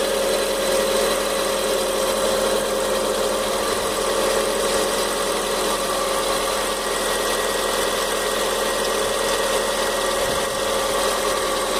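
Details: Fox idling with engine noise the owner can't identify. A light, uneven tapping rides over the engine hum. Knocking noise, cause unclear.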